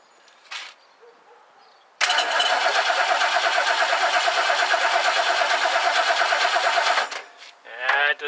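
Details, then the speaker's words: 1969 Lincoln Mark III during a major tune-up, after a new coil is fitted; points are suspected. The starter cranks steadily and rhythmically for about five seconds, turning the engine over evenly, but it never catches: crank, no start, no spark. "all right there's no spark yet so I think we're gonna have to uh diagnose it probably uh some points"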